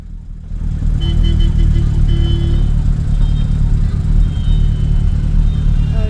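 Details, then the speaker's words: Zastava 750 (Fića) running loud, raw and blatty with a deep unmuffled rumble after the exhaust pipe split from the muffler like a cold solder joint and fell off while crossing the one-way section of Iriški venac; exhaust leak. "Here you can hear that Fića (Zastava 750) is a bit noisy. That's the first breakdown we had. That's the reason we were late. While crossing Iriški venac, it's one-way section, the exhaust fell off."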